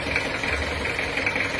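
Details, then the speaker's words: Toyota Kijang diesel after engine rebuild with non-original pistons: smooth, even idle, but a sharp tek-tek ticking knock appears each time the throttle is released; suspected poor-quality pistons slapping in the bores. "Tapi setelah di lepas gas itu ada suara tek tek. Jadi digaseng cul gas lepas gas tek tek. itu seperti ada suara penaker ya sepertinya itu."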